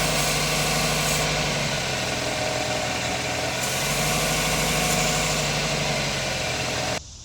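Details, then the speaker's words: 2001 Toyota Camry 4-cylinder petrol engine idling after a high-idle fix (earlier idle ~2500 rpm following coolant hose replacement). A constant airy hiss remains from a small vacuum hose leak at idle; the long hose is replaced with 1/4 in hose next. "put it always. I still got a little bit of a air leak here."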